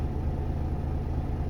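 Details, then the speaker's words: Volvo FM13 Smart Eco 400 hp truck diesel, idle lowered from ~600 rpm: low, steady, smooth rumble, no knocks or misses; oil pressure and charging normal, A/C still cold; healthy idle. "ฟังเสียงนะครับฟังเสียงเสียงรอบต่ำมากก็ถือว่าโอเคครับผมรอบรอบเครื่องยนต์มาแบบต่ำมากนะ"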